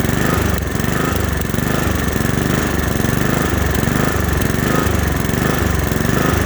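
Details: Honda HRX217 mower engine surging, speed swelling and sagging about every 1.5 seconds; caused by dirty carburetor, fixed by cleaning the carburetor.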